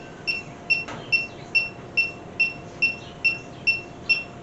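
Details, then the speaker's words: Refrigerant sniffer on max sensitivity at the cobbled AC joint of a 1967 Mercury Cougar: even high-pitched double beeps a little over two per second, never speeding up; no leak. "Nothing there. This fitting was loose, but it's tight now. Not leaking."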